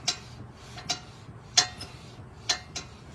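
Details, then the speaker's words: 2012 Lincoln MKX, right rear: sharp, irregular metal clicks as the brake pad is rocked in its bracket, top pad hardware missing; found on test drive, fix is adding hardware, cleaning and relubing. "Um, as we were test driving, found that we heard a clicking noise in the right rear. After further investigation, it looks like the hardware is not in there on the top."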